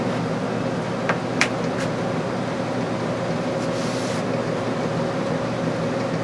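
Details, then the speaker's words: Early 1960s squirrel cage blower fan saved from scrap and fitted in a box: steady rushing airflow with a constant faint mid tone, no rattles or scraping, and strong draw; running smoothly. "Wow, it's got some draw. That's cool."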